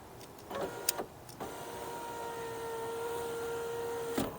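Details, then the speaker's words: 2006 BMW E87 1 Series rear right window, after fitting a used genuine regulator, ignition on: a click, then a smooth steady motor hum for about three seconds going down, ending with a soft stop, with no grinding. The window works properly. "And everything works as it should, all the way down,"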